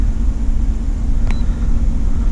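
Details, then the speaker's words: 2010 Chevrolet Tahoe Z71 5.3 V8 at idle, check engine light blinking; deep uneven idle with irregular low thumps and shaky lope, cylinder seven misfiring from a bad spark plug shooting fire about every five seconds; plugs and wires replaced. "all right well i isolated the problem it is a spark plug it's just it's like shooting fire like every five seconds"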